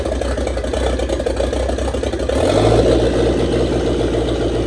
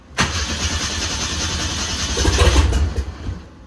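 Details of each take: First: 1927 Ford Roadster with 2.3 L turbo engine, first start after fuel line repair on fresh 91 octane fuel: catches after about 2.5 seconds, then a fairly steady low idle hum, no knocks or squeals; normal idle, no leaks. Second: 1927 Ford Roadster with a 2.3L turbo engine, first start attempt after the fuel system repair: the starter churns steadily for three seconds and it never fires, because a sensor was left unplugged.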